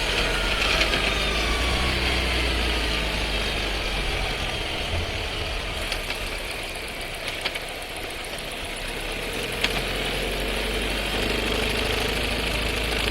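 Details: New Skoda Scala 1.5 TSI with dry-clutch DSG, about 3500 km: low engine hum with quick, fairly even metallic rattle, sharp clicks and felt vibration as the car pulls away; owner reports repeated rattling, cause unconfirmed.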